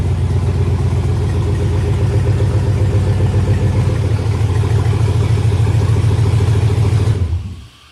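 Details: Mercury Monarch with 4.8 LS V8, start after new wiring harness and fuse box: deep, even burble holding steady about seven seconds, then winding down cleanly at shutoff; runs healthy.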